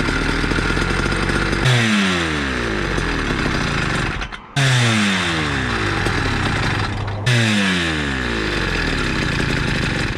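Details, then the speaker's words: Motorized bicycle two-stroke with a cheap chainsaw pumper carb being tuned: revs climb then sag into blubbery sputtering burble twice, dropping and recovering; rich four-stroking, may stall. "Rich, excessive smoke, sputtering, four-stroking. Cylinder not as hot, RPM dropping fast, and then back up to its happy place, which could lead to stalling or dying."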